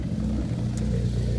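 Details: 2015 Ford Focus ST, cold start: deep uneven lumpy idle stumbling irregularly; P0302 cylinder 2 and random misfire codes, coil pack most likely suspected, spark plug also to be swapped; not confirmed.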